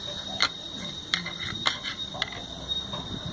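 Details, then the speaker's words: 24250 truck differential makes a loud noise when lifting off the accelerator in gear; rocking the driveshaft yoke gives sharp metallic clunks from excessive pinion-to-crown gear backlash, probably a failed large bearing, with no preload left. "Tira o pé e o barulhão ó Tira o pé do acelerador ó vendo e aí você vai lá no cardã mexe na folga a folga tá grande"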